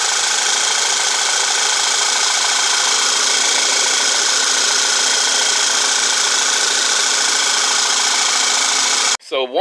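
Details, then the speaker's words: VW CC Sport after P0300 misfire repair, intake and valve cover reinstalled, fresh synthetic blend oil: steady even idle hum with no stumbles or skipped beats, no check engine light, runs fine. "No check engine lights or anything's on, and again, it starts up and runs just fine."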